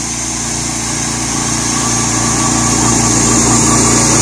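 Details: Small gas engine on an electric-to-gas golf cart conversion, just rope-started with choke: fast, even putter that holds steady with no misses or knocks; it runs healthy.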